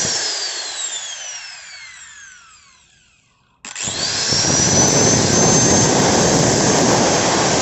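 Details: Hand grinder with a Modern M-2300B stator fitted into a Maktec MT90, tested without the lower housing: winds down, then spins back up to a steady, even high whine with no sparks or stumble, turning counterclockwise; running normally.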